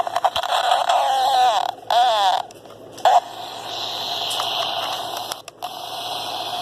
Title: This walkie talkie is making a weird noise